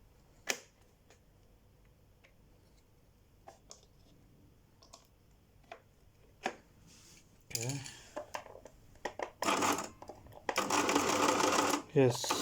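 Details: Brother electric sewing machine after opening and clearing internal blockage that jammed the needle: scattered clicks, then short even bursts of quick mechanical chatter as it stitches freely; runs normally again.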